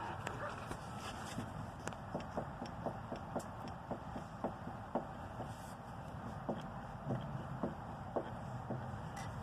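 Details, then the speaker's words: C5/C6 Corvette (1997–2013) front left (driver side) sway bar end link rocked by hand: sharp light clunks about twice a second from the loose link, blamed for clunking while turning, over bumps or braking; link to be replaced. "but this one is just way too loose and seems to not play on it pretty bad already so I'm going to take it off and replace that"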